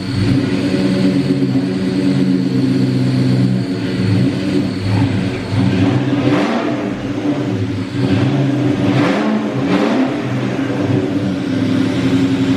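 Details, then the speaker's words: 2003–2004 SVT Cobra (Terminator) supercharged V8 after full rebuild, first run: whirring, gear-like whine rising and falling with revs from the front accessory drive, not internal; owner suspects the alternator or a pulley, engine believed fine. "Um, I don't think it's in the engine, which is a positive, but I think that noise you're hearing that sounds"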